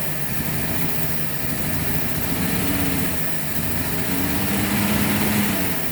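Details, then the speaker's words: 1948 Chevy coupe running after 55 years off the road, carburetor primed by hand, fuel pump suspected not pumping; smooth, quiet, even idle like a sewing machine, no knocks or misses; normal idle. "it sounds really good the engine is like a sewing machine it's so quiet so quiet"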